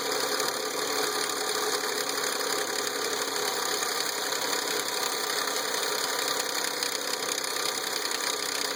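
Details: Nissan VQ35DE V6 at 114k miles: steady idle with a fast, light metallic rattle over the engine note. A small rattle suddenly got much worse; a timing chain rattle is suspected, not confirmed.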